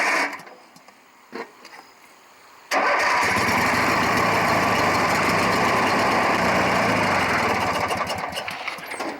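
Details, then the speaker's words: Craftsman 18 hp opposed-twin riding mower after starter solenoid replacement. A couple of short cranks with the choke pulled, then it catches and settles into a steady, even run; healthy. "let's pull the choke out that was a lot better I should have knew better than trying to start without the choke"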